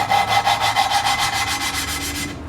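A fast back-and-forth gritty rubbing, even in rhythm, from hand-lapping a valve into its seat with compound.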